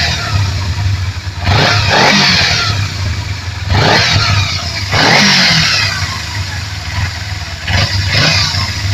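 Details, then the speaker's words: Kawasaki Z250FI (Ninja 250 engine) just after manual TPS adjustment, idle slightly above 3,000 rpm; three crisp throttle blips rising and falling cleanly, no stumble or jerk; injection responding normally. "sama sekali tidak ada apa namanya tidak ada ganjelan ya atau hentakan"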